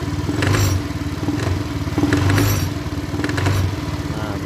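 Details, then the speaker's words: Honda Beat ESP scooter CVT: idle smooth but crackly rattling bursts on light throttle when pulling away, fading after about 30 km of riding; worn pulley or bearing suspected. "ini kendalanya CVT nya ini berisiknya ketika mau jalan ya tapi kalau udah jalan kira-kira 30 km itu suaranya hilang"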